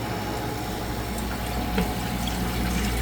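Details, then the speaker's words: Manitowoc commercial ice machine after contactor replacement (compressor and condenser fan previously wouldn't start): steady even hum of compressor and fan with water trickling, no knocks or rattles; running normally. "Our fan and compressor are now on."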